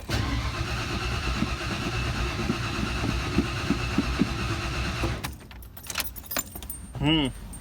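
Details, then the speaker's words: 1992 Ford F150 after installing a new Spectra fuel pump, quarter tank of gas: steady starter churn with even compression pulses about four a second, never catches, then cranking stops; crank no start, fuel rail not getting fuel. "The engine turns over. Uh but I checked the fuel rail and it's not getting any fuel."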